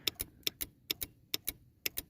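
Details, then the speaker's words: Aftermarket 12V normally-open brass solenoid valve fitted as engine shutoff on a W123 Mercedes diesel that sat 15 years (mice damage), wired to battery negative and keyed fuse power; crisp paired clicks about twice a second, no buzz. Valve switching properly. "and you can hear that valve working"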